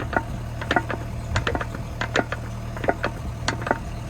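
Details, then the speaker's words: Tracked machine with loose hitch pins: sharp metallic clunks about two per second as the attachment is rocked over low engine hum; worn pins and play in the king post. "There it is. Bit of play in that king post, look. It's a bit loose like."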